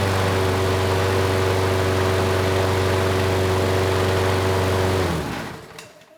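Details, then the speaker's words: Craftsman mower 917.374541, engine 128T02-1270-B1, with the sticking auto choke manually opened: steady, even drone, then winds down and stops. Runs well now, with only a slight occasional stutter. "that was much better the choke sounds like it is turning off now the engine is running well there is a slight stutter every once in a while"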